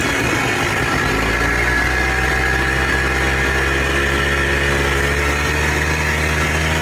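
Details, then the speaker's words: Polaris Trail Boss 250 4x4 ATV rescued from the scrap yard, previously wouldn't fire on spray; settles from a rough catch into a steady, even buzzing idle with no misses; runs and drives normally. "All righty, guys. She does run. She does drive."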